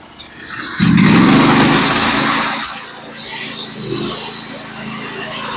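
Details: Norwood HD36v2 bandsaw mill with a Stellicut band, cutting 1x6 fence boards: the engine pulls down under load as the band hisses steadily through the log without chatter or squeal; a clean, even cut.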